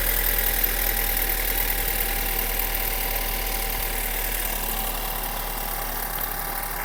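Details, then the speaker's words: 2012 BMW 528i F10 with N20 engine, 120K miles, at idle: steady even idle with light, regular ticking chatter, no rattle or slap; chain tension checked by hand and feels tight; BMW technician says this timing chain sound is normal. "I was told by a BMW technician in South Florida at Miami I was told this is normal"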